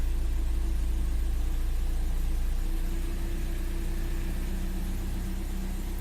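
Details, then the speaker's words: 1991 BMW E36 318i, M40 engine, 230,000 km, first start after 10 months unused: fired straight up, idling higher than usual with a low rumble that wavers up and down; fluctuating idle, cause not confirmed. "It's a bit up and down."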